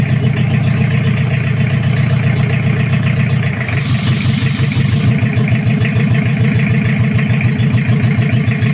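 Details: Toyota Kijang 2L diesel, cold, just after first start following an engine rebuild for oil burning, injection pump timing at the zero/standard mark: steady idle with regular firing pulses and a deep smooth beat, no knocks or misses. Normal idle.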